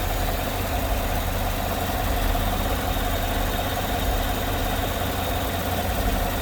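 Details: Idle after the noisy vacuum pump, which sounded like bad lifters, was removed, holes plugged and brake booster teed into the intake; smooth, low, steady idle, no ticking or tapping, even and settled; normal idle after repair.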